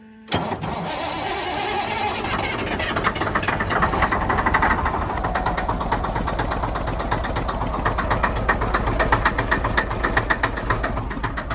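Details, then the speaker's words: Truck engine started after test bumps to check for fluid in the cylinders; not locked up. It catches but runs rough with an uneven stumbling beat of about four per second, even floored. The cause is unclear. "it doesn't sound good that's floored right now"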